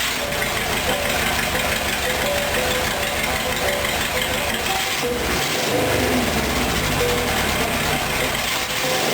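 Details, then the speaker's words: Rat rod engine idling after a timing chain install; timing is not yet exact. It had an off-rhythm, lopey return from revs before. Now a loud, even idle holds the same rhythm with no chain flapping, running steady. "now when it comes back down it's steady it it keeps the same Rhythm um cuz that cam chain isn't flapping around in there anymore"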